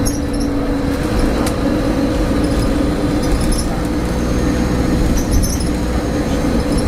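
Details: Stagecoach Cumbria Optare Solo bus 47020 (PO51 WLK) driving on Service 30 from Whitehaven to Workington, May 2015: a loud, even-pitched droning hum sits over the diesel rumble and road noise; the source is unknown.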